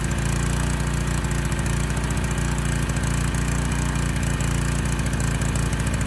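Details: Honda EG1400x generator with its air filter refitted: steady, deep single-cylinder chug, a touch slow and heavy, running rich.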